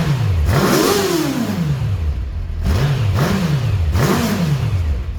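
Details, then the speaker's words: Kawasaki GPX 600R after carb rebuild, with an air filter fitted in the airbox: three clean, quick throttle blips, revs rise and fall smoothly with no stumble; now takes full throttle, running well. "it's running quite nice and now she takes the throttle fully now with the air filter in place"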